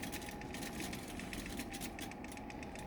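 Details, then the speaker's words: Winix air purifier (C535/C555/5300-2/5500-2/6300-2 family): rapid light ticking over a steady fan whoosh, caused by a loose nut and bolt on the fan; fixed by retightening it. "you hear that there's a ticking sound of it which is basically caused by the rules and bolt on the fan"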